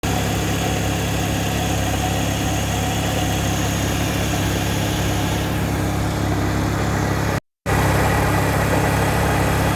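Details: VW Vento petrol engine idling with a steady low drone and faint rough whirring from a bad pump bearing.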